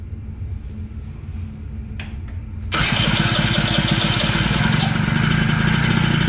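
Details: Honda Spree 50cc two-stroke, premix added to tank, slight smoke: starts easily after short crank and settles into fast, slightly uneven buzz; runs but no power, compression read low, owner unsure if motor is blown.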